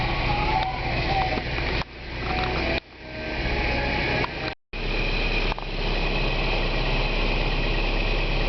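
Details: Isuzu/Holden Rodeo, 3–4 months after new alternator fitted, belt tension still firm: even, steady idle with no whine, squeal or knock from the belt side; charging at 14 volts, engine and charging system normal.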